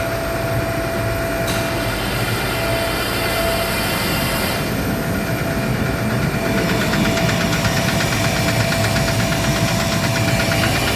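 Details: Gardner Denver screw air compressor: steady drone with a light rapid knock about three times a second due to a defective pressure valve; fixed by replacing the valve.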